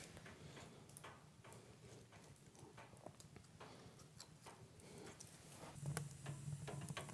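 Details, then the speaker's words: Cast-iron wood stove heating up after logs are added during a fire startup: irregular soft ticks and creaks about two per second from the metal expanding with heat, normal and harmless. "parfois on entend ce grincement ce grincement provient du poil qui est en métal et avec la chaleur et quelques effets de dilatation qui se produisent même si c'est de la fonte"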